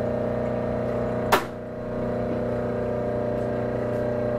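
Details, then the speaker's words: Hobart 4346 meat grinder/mixer on 208 V three-phase power from a rotary phase converter: a click at switch-on, then a low, steady electrical hum and smooth whir as the converter runs normally. "We've got a three-phase converter, which you're going to hear running in a minute. You're going to hear it humming."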